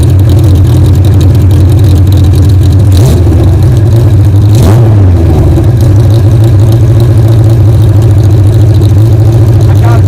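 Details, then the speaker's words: 1975 Kawasaki Z1 motorcycle, second start after carb work and new pipes, hot-wired with a temporary gas tank: engine cranks right up, takes a brief rev, then settles into a smooth, even idle with no knocks or misses. "I don't want to lie to you, I already started it, but man, it cranked right up."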